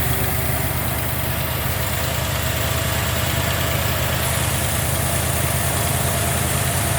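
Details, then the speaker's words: 1990 Jeep Grand Wagoneer, newly rebuilt AMC 360 V8 with Holley EFI, after restoration, idling after the AC was switched off: steady, even low rumble, smooth and quiet with very little vibration, no misses, knocks or ticks; normal idle. "See how smooth and quiet that engine is? It's got very little vibration on the top of it. Everything's lined up, it runs good, it runs smooth."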